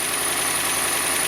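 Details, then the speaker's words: 2018 Ram 1500 idling: steady, fairly loud high-pitched squeal that doesn't change; worn serpentine belt confirmed on inspection, pulley also suspected, belt and pulley to be replaced. "So, we will be replacing the belt and the pulley. It's not really quick, pretty really loud, but you can hear it from here."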